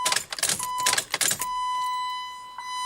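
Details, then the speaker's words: Chrysler PT Cruiser GT with electrical faults, key on: steady high chime but no fuel pump prime buzz; all gear selector lights lit solid, no fault codes via key cycle. Cause found: blown ASD fuse; sorting it restored pump prime. "I'm going to show you what happens when I turn the key no fuel pump priming everything's lighting up fine"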